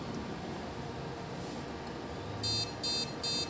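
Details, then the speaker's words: Desktop computer at power-on with no display on the monitor: three quick, shrill beeps repeating over a quiet fan hiss; POST beep code for a memory fault. "if you are experiencing or having problem with your computer that your computer is not displaying on your monitor or uh you're hearing a beeping sound"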